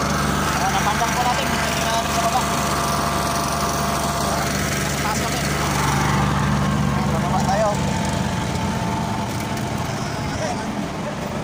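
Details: Oasis150 C/U small diesel that would not start after running out of diesel, now refuelled with the injector fuel line bled: a steady, even chug with a constant tone and no misses or surging; normal running.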